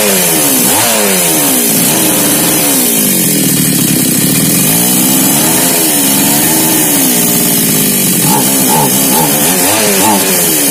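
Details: Mini chainsaw that was hard to start, after repair: high buzzing two-stroke revs up and down smoothly on the throttle, picking up cleanly each time; a healthy running saw.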